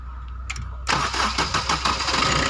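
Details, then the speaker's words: New Maruti Suzuki Dzire diesel after repair, cranking briefly, then catching at once and settling into an even clatter; the 3-second start-up knock, caused by a loose fuel temperature sensor coupler with a damaged O-ring, is gone. "सकते बिल्कुल normally start हो रहा है। तो इस तरह से अपना प्रॉब्लम सॉर्ट आउट हो गया।"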